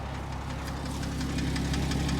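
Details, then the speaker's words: Porsche Cayman S horizontally opposed engine at idle, crisp light tapping about five per second, louder on one bank; owner first suspected lifters or low oil, but computer shows oil full; cause unconfirmed. "yeah definitely hear more of that on this side oh yeah uh at first thought I was like okay it sounds like lifters maybe it's low on oil"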